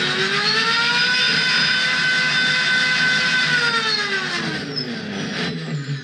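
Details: Prometheus blaster with SunnySky 2216 2600kV brushless motors and aluminium flywheels, bolts not yet tightened, test firing: both flywheels hold a high steady whine that dips briefly as darts feed and recovers quickly; normal operation.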